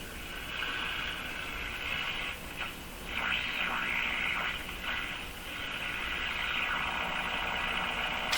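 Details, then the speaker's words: Mohawk Model 1240 five-tube radio on 116 volts with the AVC capacitor removed: hissy, garbled swooshing while tuning, no station received, like an open-circuited grid; garbled audio with AVC capacitor removed. "that has a bit of a garbly sound to it is a swooshing as I tuned let's get a station here stations not receiving a thing"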